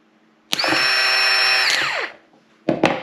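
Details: New starter for a 2005 Yamaha R1, tested on the bench with no load from a jump pack, gives a clean steady high whine for about 1.5 seconds, then a smooth spin-down with no grinding, unlike the labored old one that caused hard starting.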